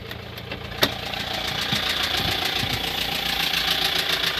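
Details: Opel Vivaro 1.9 diesel F9Q: idle with fairly even knock about three or four per second over clatter, appeared suddenly at 1500 rpm, independent of engine temperature, timing belt already replaced; spun bearing knock.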